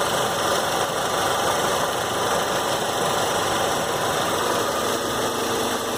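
Engine held steady at raised revs, a busy even drone with light fast clicking mixed in; source of the click not pinned down.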